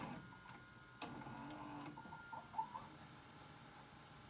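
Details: Panasonic PV-V464S VHS VCR rewinding a tape: a soft motor whir with a few light mechanical gear clicks as the tape spools back quickly, the normal rewind sound.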